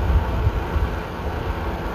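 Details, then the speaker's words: A modified Comfort Zone milkhouse space heater with its relays and beeper removed, a solid state relay fitted, and the puny stock fan swapped for a motor taken from another fan. A loud, steady low whooshing rumble with a slight chop; the fan runs fine. "now that the relays and the Beeper are out of it doesn't make any Racket and the stupid puny little fan is out of it"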